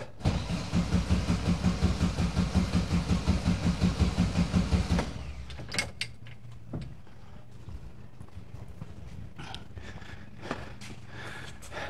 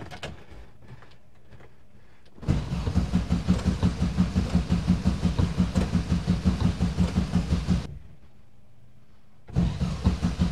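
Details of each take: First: 1971 VW bus sat two years, electronic ignition; after a starter replacement, strong even cranking at about three compression beats a second for five seconds, engine doesn't fire yet, fuel delivery still uncertain. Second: 1971 VW bus, sitting two years, with a new starter: it cranks in even chugs in two bursts but never fires. No fuel seems to reach the carb, though the fuel cutoff solenoid clicks and the coil has power.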